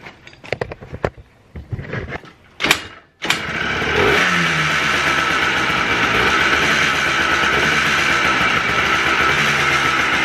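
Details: Freshly rebuilt two-stroke Blaster on its heat cycle, with the idle mixture screw set far too high. After some handling noise it catches and settles into an uneven, hunting idle. It runs rough from the misadjusted idle mixture screw.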